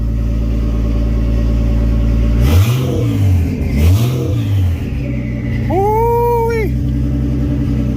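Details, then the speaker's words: R32 Skyline RB engine running after reconnecting a previously blocked valve hose: steady lumpy idle, two quick blips rising and falling cleanly, then a rising turbo whistle on a rev; runs fine with turbo spooling. "hear that turbo spool [Music] all right yeah now we're talking yeah i am like super excited my motivation is skyrocket right now oh rb is finally running and it sounds so good with the turbo spooling"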